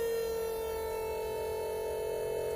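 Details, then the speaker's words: Regal 33XO boat trim tab pump, previously tabs wouldn't go down, after reconnecting lines: steady electric motor whine at constant pitch, no surging or grinding, binding up at full down; running normally, no leaks. "Sounds much better already. Alright, motor's binding up. That means I should be all the way down."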